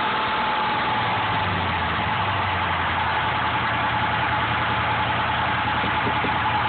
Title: With belt, loud noise at 0:34 mark